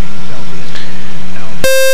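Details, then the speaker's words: Experimental RV7 on a startup test run. A steady engine drone is followed by one clear high beep of about a third of a second. It is the avionics high current alarm, and its cause is not yet determined. "High current alarm. High current alarm. Okay, let's see. What is a high temperature? That's annoying."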